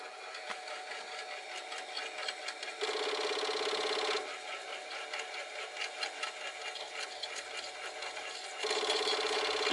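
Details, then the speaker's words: Commodore 1541 floppy drive found in a backyard shed, loading a directory on a Commodore 64: spins with a faint rattle then buzzy grinding bursts as it struggles to read the disk. "looks like it's working makes a makes a kind of a grinding noise you can probably hear that"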